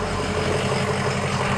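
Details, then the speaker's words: 2005 Ford Excursion Limited 6.0L Powerstroke diesel 4WD, about 186–187k miles, new injectors and turbo, EGR delete, AC running; hood open. Smooth even idle, steady low rumble with light injector clatter, no misses or knocks; healthy 6.0 idle. "Let you hear it idle. Sounds great. Like a healthy 6o."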